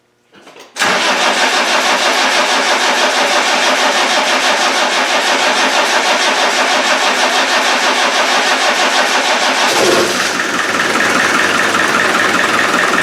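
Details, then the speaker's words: Land Rover 300Tdi diesel, first start after head replacement: catches after a short crank, settles into steady even clatter that smooths as it warms; sounds healthy. "great success and the oil away Quinto so obviously I wasn't cranking it you know well that sounds alright girls"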